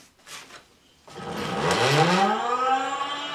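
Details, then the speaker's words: Sparta Maxx 70 e-bike, converted in 2015, 48V front hub motor, recently replaced Silverfish battery: from standstill the motor stutters and vibrates, then whines up in pitch and runs strongly once moving; owner suspects controller or phase wiring, not the motor. "dan hapert ie ook, je hoort hem trillen dat gaat niet soepel dus dat heeft alles te maken met het aansturen van de fase de drie kleuren geel blauw en groen"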